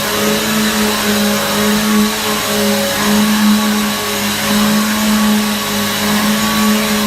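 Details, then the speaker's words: Hoover vacuum cleaner after repair, switched back on: steady, even motor hum with constant airy rush, no rattle or wobble; very loud, likened to a Hoover Pure Power; vacuum motor runs smoothly. "this thing was really loud it almost sounds like the hoover pure power right"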